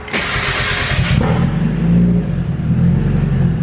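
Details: Turbocharged Mazda Miata on a new Speedy EFI ECU: starter whirrs about a second, then it fires immediately into a steady low idle; a clean start, though the fuel pump primes only a split second and other starts backfire.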